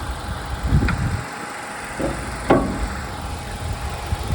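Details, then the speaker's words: Kia Ceed 1.4 100 hp at idle under the bonnet, recorded on a hot day of about 33°C: quiet, even idle with a soft steady hum, no knocks, misses or rattles. Engine runs properly. "stop silnik pracuje jak najbardziej prawidłowo cichutko równo"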